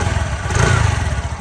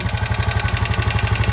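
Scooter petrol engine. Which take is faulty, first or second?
second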